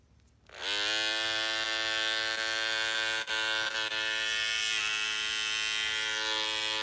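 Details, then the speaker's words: Andis cordless T-outliner with non-stock blade, after a couple of months of use: the blade lifts when switched on and the cutting blade rattles, with a harsh rattly buzz. Owner found a plastic plate holding the back screw inside. Loose blade mount rattle. "I need to see that blade in there it's super vibrating is reps it's like a it's like it's got a rattle on the inside it's got a rattle on the inside"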